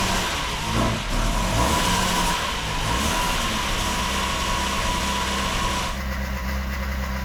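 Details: 1972 Saab Sonett III first start after its clutch and pressure plate were upgraded, engine and transmission reassembled, coolant refilled and air filter refitted: engine catches and settles into a steady idle with a small rev change, no knocks or misses.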